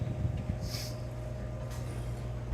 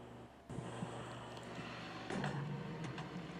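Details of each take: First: Condensing unit after replacing a melted start relay with a 3-in-1 hard-start kit: low, steady motor hum with a faint constant tone and no clicking or chattering, now running normally. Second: Reach-in freezer at a lunch shop, complaint of loud noise and not getting cold enough, evaporator frosted over: steady fan hum with irregular scraping ticks as the evaporator fan blade hits ice on the coil. The fan motor itself is okay.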